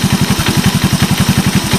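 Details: 1986 Honda TRX125 single-cylinder from a scrap yard, hotwired and run on a jump pack, almost out of gas. Quick, even thump at about eight beats a second with no knocks; a healthy idle.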